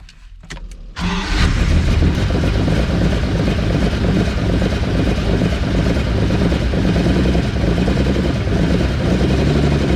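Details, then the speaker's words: Ferrari 400GT carbureted V12 (DCOE side-draft carbs), as delivered: cranks and catches, then runs lumpy with unsteady revs and no power, feeling like only six cylinders fire; rough running. "the fact that this car runs like crap I mean I could barely get it off the truck um it really felt like it was running only on on uh six cylinders I mean it just didn't have any power whatsoever and"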